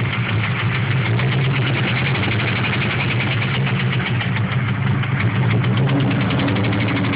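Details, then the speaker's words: 1996 Ford Mustang SVT Cobra with stage 2 cams, 81,000 miles: rough loping idle with steady heavy bottom-end knock under exhaust beat; began suddenly at 40 mph with power loss and poor idle; suspected rod knock, unconfirmed. "Right after I passed the cop, car started knocking, lost all power, wouldn't idle right. Does have stage 2 cams, but here's the knock if it'll start."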